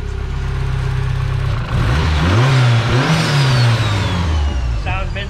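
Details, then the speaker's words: Turbocharged Mazda Miata at 17 psi boost, suspected of jumping timing, running again after a crooked, unplugged cam angle sensor was refitted: strong steady idle, then revs climb and fall crisply with no misfire. Normal revving, healthy. "sounds pretty good you want to go for a rip hell yeah it's only at 17 psi"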